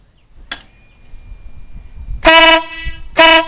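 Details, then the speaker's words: Newly installed Wolo Big Bad air horn on a Harley Night Rod Special. Two loud, sharp blasts of about a third of a second each with a strong, clean tone; a huge difference from stock, and healthy. "Wow. Huge difference. Huge difference. Definitely recommend it."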